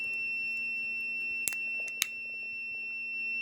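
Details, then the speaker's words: Hampton Bay 3-speed ceiling fan stuck on high: continuity tone never breaks through the pull-chain positions, as line and terminal 1 stay connected; the speed switch is stuck closed and needs replacing. "line one and number one are still connected so that tells me that the switch is bad no matter what position that it's in"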